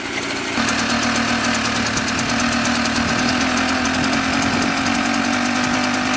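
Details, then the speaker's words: Mobylette X1 two-stroke moped after an engine rebuild, ignition timing checked at about 24 degrees BTDC. It runs only at full throttle, with an uneven, lumpy beat that stumbles toward a stall, then stalls. Far too rich on an oversized jet. "Generally it only runs with the throttle fully open. It's fully open. It still sounds like it's going to stall, and it has."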